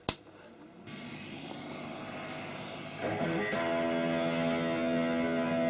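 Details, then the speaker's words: Marshall MOSFET solid-state guitar amp, line out fed to another amplifier: a click, rising hiss, then a strong guitar chord over a noisy background; the preamp seems okay, and the owner suspects bad power transistors. "i get noisy but pretty strong output so i think the preamps okay i'm suspecting that the power transistors are bad"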